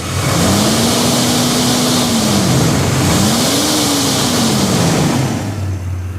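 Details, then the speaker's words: 1993 Chevrolet S10 after thermostat and new severe-duty fan clutch replacement, shroud refitted: loud steady rush of fan air that swells with revs and settles back; the fan clutch now engages properly, unlike the old one. "already a huge difference you can hear that fan running"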